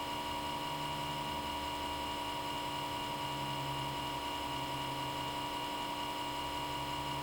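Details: Comcast Xfinity X1 DVR cable box: small-diameter fan on left side spins up at power-on and runs at high speed constantly, even with box off, until unplugged; steady unchanging high-pitched buzzy whine, constant fan noise.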